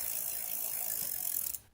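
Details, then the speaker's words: Road bike rear derailleur after adjuster-screw adjustment: quick, light ticking and soft whirr as the chain runs through the pulleys, fading to a stop; normal derailleur pulley noise, nothing wrong. "you are going to hear a little bit of rubbing as the chain runs through the pulleys that's just kind of part of the the woes of biking you have a lot of moving rotating parts"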